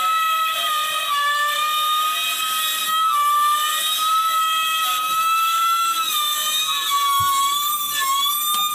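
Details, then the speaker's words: Gree GMV VRF outdoor unit compressor: piercing, steady high-pitched shriek around 1 kHz that wavers slightly. Internal compressor fault, possibly a stuck rotor or shaft, mechanical wear, or a burned coil causing reverse rotation. "you will hear the compressor is squaring right and actually is something wrong with the compressor we already know that"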